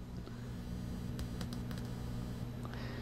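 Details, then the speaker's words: LM1875 amplifier powered up properly after a larger limiter bulb (just clicks, no filament glow): touching the input gives a low steady mains hum with faint clicks, showing the channel works normally. "so it's actually working just fine let me test the other channel yep it's working fine"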